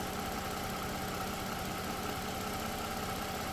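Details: 2009 Toyota RAV4 at idle with check engine and traction control lights on and code P0354: uneven, loping pulse with an intermittent stumble. Cylinder 4 ignition coil misfires intermittently and the ECM cuts that cylinder's injector; a scan tool didn't detect it.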